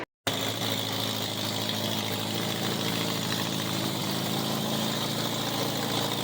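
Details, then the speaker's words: 1987 Honda Gold Wing GL1200 parts bike, electrical problems, almost out of gas, running after battery charged: even, steady idle with raspy open-pipe note, no misses or stumbles; normal idle, needs strong battery. "almost out of gas it runs well these gold wings has got to have a very very strong battery in order to run correctly"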